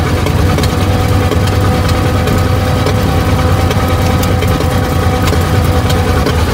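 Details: 1920 Ford Model T barn find, sat about 10 years, first start after carburetor cleaning and points work, hand-choked: lumpy uneven chugging with irregular pops and gaps on only one or two cylinders; misfire from stuck valves, low compression on one cylinder.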